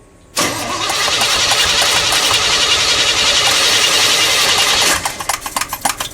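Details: Pink big-block Chevy, after its carburetor was cleaned for running very lean at idle and refitted, no throttle linkage connected. A long steady starter whir of about four seconds, then uneven puffs as it tries to catch. It starts soon after and sounds much better.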